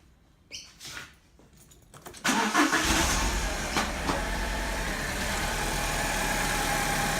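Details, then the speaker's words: 2002 Alfa Romeo 147 2.0 Twin Spark 16-valve, misfire at idle and under acceleration: cranks and catches, then settles into an uneven, stumbling idle; misfire later traced to a faulty ignition coil, fixed by replacing it. "This is my Alpha 147 2002 2 litre twin spark. I have a miss on idle and accelerating."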